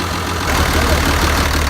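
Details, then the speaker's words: Link-Belt 3400 excavator diesel revved lightly after its fuel injectors were replaced, running to work out air bubbles. Steady, even running with no knock, miss or rattle; the earlier injector noise is gone and no leaks were found on supply or return. "So it sounds better now. I can't explain that sound. I kind of forgot what it sounds like, but I know it's not here now."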